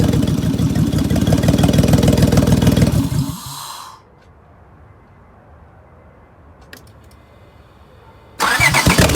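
Idle shakes with an uneven, stumbling beat before the engine cuts out and restarts; that's a cylinder misfire, cause not yet pinned down.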